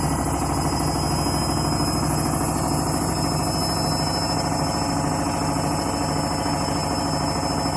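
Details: Candy washing machine on Rapid 30 mini-load program, final spin at about 1000–1200 rpm: loud steady rumbling roar with rattly vibration and a fixed high whine; noisy spin, cause unknown.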